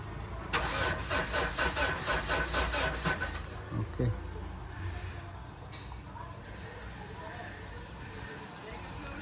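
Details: Mitsubishi Montero, previously DIY-disassembled with cut wiring, many fault codes cleared: starter turns engine about four times a second for nearly three seconds but it never fires; crank no start.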